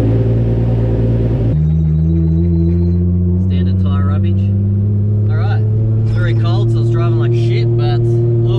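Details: Nissan A31 Cefiro, just reassembled after fixing a fuel leak: engine catches and settles into a steady, even idle with a smooth low drone, no ticking or puffing from the exhaust. Normal cold-start idle.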